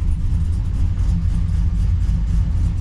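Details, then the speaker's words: Holden SS Commodore LS1 with big cam and power mods, untuned, warmed after idling from cold: deep, uneven choppy lope at about 650–700 rpm, drops low and nearly stalls off throttle; idles too low, needs tune. "Okay, it is going to idle, and it's probably sitting at around about 650, 700 maximum, and it's idling too low. You can kind of hear the chop there."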